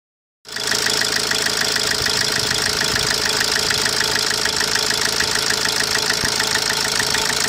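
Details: 2010 Opel Corsa D 1.3 CDTI diesel at idle: sharp, regular tick about three times a second over the steady idle; cause not pinned down.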